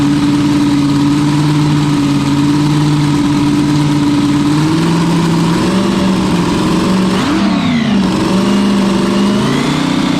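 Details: Small-block Chevy V8 on a 400 main block, after fuel issues were fixed by leaning the mixture: a strong, steady note with a sharp blip and a clean drop back. It sounds aggressive and crisp, and runs down quickly when the fuel is cut.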